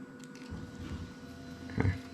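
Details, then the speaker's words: Toyota 3UZ-FE (GS430) engine on a half-cut test rig for an IS200 swap harness, engine off, fuel pump connected and priming: a quiet steady hum with a faint constant whine. Normal fuel pump operation. "you can hear the fuel pump running there all right i'm just going to put on some air defenders because it's quite loud"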